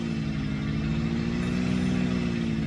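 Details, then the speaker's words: 1992 Mercedes 600SEL V12 at idle after the exhaust repair, much quieter than the previously hideous exhaust. Smooth, steady drone with no puffing or leak noise, even though exhaust seals are still missing; the rear heater control valve is clicking separately. "yep much nicer oh my God day and night if you remember before it was so loud it was hideous and I have no seals on the exhaust either"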